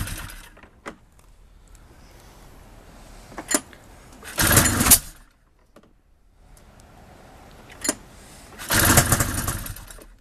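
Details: Powder Special 700 that won't start, after trying different carburetors, removing the steering safety switch and doing a leak test with starting spray: two short bursts of cranking with clicks between, never firing.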